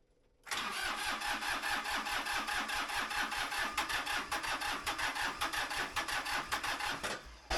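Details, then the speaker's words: Small diesel tractor in cold weather, oil warmed over an hour by a DIY coffee-maker oil pan heater, booster pack attached, glow plugs cycled, cranked without ether: slow even starter chugging with stronger puffs; cold hard start, nearly catches but won't fire. "Gonna cycle my glow plugs a couple of times. And actually, let's crank it without any ether so we can do a test."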